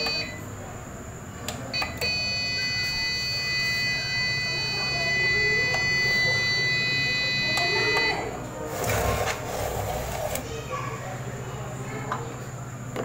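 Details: APC 500 UPS at power-on: a steady, unbroken high beep lasting about six seconds with the green power LED flashing, meaning the battery failed its internal self-test.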